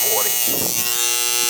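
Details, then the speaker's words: AC condenser during annual service: a steady, hard-edged electrical buzz holding level. The contactor is humming, before the contactor and the out-of-spec 40/5 capacitor were replaced. "He's a Hummer."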